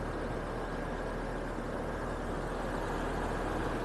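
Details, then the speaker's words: 2007 Hummer H3 manual, 3.7 L inline five, 150,751 miles, restarted after running out of gas and priming the pump; under-hood idle with steady even hum, no ticks, knocks, misfires or check engine lights: normal idle. "this is a three seven truck 3.7 liter inline five running well as you guys saw no check engine lights and no misfires just was out of gas and had to prime the pump again"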